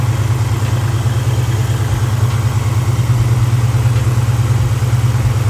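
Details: Idle right after start, after removing a driver-side valve cover hose that held the hood scoop into the fan: even low idle, steady pulse about 140 a minute, no knocking, scraping or earlier plastic-hitting noise; normal.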